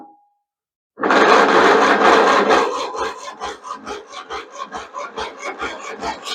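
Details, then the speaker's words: Craftsman II lawn tractor with Briggs & Stratton 12 hp engine, stored many years, starter just cleaned and serviced, on choke in neutral: starter drags slowly and never fires; old battery still weak, likely needs replacing. "Well, that battery is still kind of dead. So, I'm going to have to put a new charge on it and then we'll try it again in a little bit."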